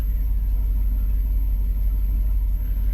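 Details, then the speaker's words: Porsche Panamera S after timing kit repair: difficult startup was simply low fuel; after adding a gallon, deep, even, steady idle rumble with no misses, knocks or vibration, smooth and healthy. "just out of gas listen to that listen to how smooth that is listen to that"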